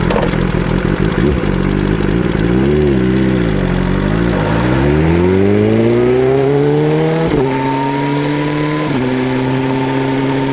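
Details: BMW S1000RR engine revving up and settling, with a light, quick clatter over the exhaust. A worn camshaft leaves clearance between the rocker arm and cam, and the camshaft must be replaced.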